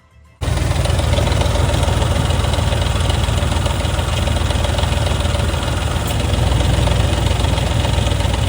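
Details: 2004 Ford F150 with oil changed every 3,000 miles, idling before a timing job: a loud idle with an uneven, fast clattering rattle about three or four a second, heard for about a year; the chain proved badly stretched against a new one.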